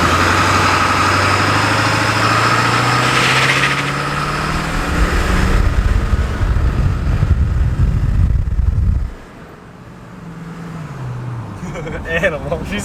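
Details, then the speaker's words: Ford 7.3 diesel van driven after a vacuum pump replacement: a deep, steady diesel drone rising and falling smoothly with road speed, with no ticks, whines or knocks. Normal running. "everything sounds great there are no weird noises"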